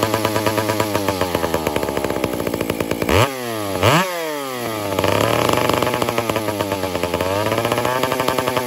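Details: Piped Dolmar 7900P chainsaw at light throttle: revs surge and sag unevenly, bogging then flaring, sounding starved; fixed without opening the carb.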